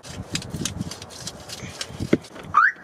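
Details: 1974 MGB sitting since 2007: after sanding a bad battery cable connection, clatter and knocks, then a short rising electronic chirp as the alarm comes alive; power restored, ground still to be tightened.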